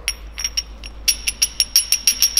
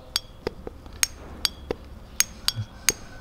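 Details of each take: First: BMW S54B32 VANOS rebuild, oil pump disc holes drilled 9.7 mm for 0.1 mm gear clearance versus about 1 mm original: sharp metallic clicks about five per second from gear backlash on the original play. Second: BMW S54B32 VANOS rebuild, solenoid valve on the bench after magnet cleaning and spraying, engine not running: crisp metallic clicks about two a second; snapping cleanly, clearly audible now where previously inaudible; normal.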